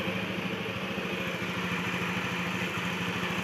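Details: Honda Beat FI scooter with upgraded Kaze piston, just started: steady, even putter of about three beats a second with no ticking or knocking, idling cleanly.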